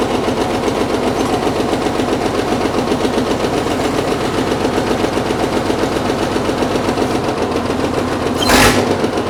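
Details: Caterpillar D6 9U diesel running with a fast, steady rattling knock about four per second, like a heavy internal knock. A leaking injector is suspected; the knock was later traced.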